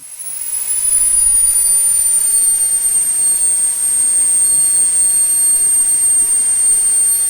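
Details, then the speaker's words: SWIWIN SW220B micro jet turbine on test stand; whistle sweeps smoothly from idle to steady high scream in 3.7 seconds, adjustable acceleration, full throttle 115,000 rpm, just under 50 lb thrust, no surging; normal spool-up. "you'll see 3.7 seconds is our acceleration check from complete idle to full throttle this of course being adjustable and full throttle being 115 000"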